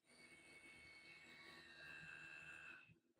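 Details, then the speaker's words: Edelkrone SliderONE with Motion Module running at 100% speed, microphone placed about as far from the slider as from the speaker's mouth: thin, steady high whine with a fainter second tone, then cutting off; too noisy at full speed. "a hundred percent it is a bit too noisy in my opinion"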